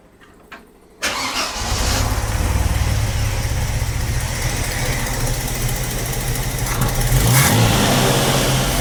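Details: 45-year-old 2.8-litre Vauxhall Royale coupe, after carburettor swap and idle tuning, idle at the correct 1.5: engine catches and settles into steady, even fast idle with smooth low hum, no stumbles or knocks; normal idle.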